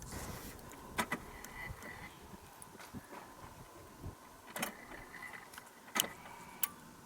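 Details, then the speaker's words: GMC fuel pump relay, replaced after intermittent power to the fuel pump, wired outside the fuse box, key turned in the ignition: a few crisp distinct clicks each time; the relay is switching properly. "i'm going to put the key in the ignition and you listen you'll hear a happy click did you hear that click let's do it again nice distinct click"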